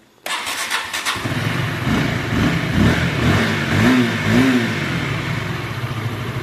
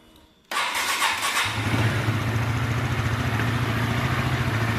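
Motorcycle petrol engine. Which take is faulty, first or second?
second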